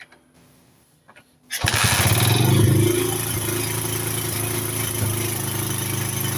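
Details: 1981 Honda CB100N points-ignition single, no-start fixed, carburetor float bowl primed with petrol, choke on then off: cranks, catches quickly and settles into a steady even idle with no misses.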